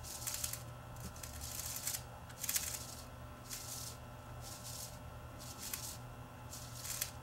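Irregular dry crackles and ticks as the stuck layers peel apart during slow winding, typical of mould gluing the tape wraps.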